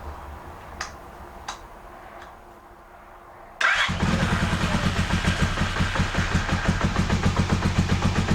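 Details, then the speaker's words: Honda CB250N Superdream 250 motorcycle, started on full choke after carb work (sync, idle screws): catches and settles into an even slow beat; idle now a lot slower, a bit too slow; previous fast idle thought to be the problem. "The idle is a lot slower. In fact, it's too slow. It's a little bit too slow, so I think that was the problem."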